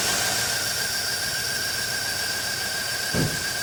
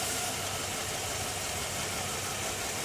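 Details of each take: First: 2007 Chevy Tahoe with crank-no-start and P0300 random misfire from a poor engine-block ground behind the cam sensor, running with a temporary alligator-clip ground: steady, even idle with constant accessory whine and one brief thump; shuts off when ground is removed. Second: 2007 Chevy Tahoe with P0300 random misfire: removing the jumper from the ground wires on the driver-side engine block behind the cam sensor connector leaves the engine running rough and uneven. Open sensor ground from barely-touching ground wires.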